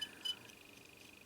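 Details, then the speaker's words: MFJ-994BRT antenna tuner that fails with its bias-T: short high meter beeps show a dead short (0.1–0.5 ohm) between the two antenna connector pins. The owner suspects the switch, or possibly his own wiring. "it's a completely short it is 0.5 0.1 ohm and that is maybe my wiring here"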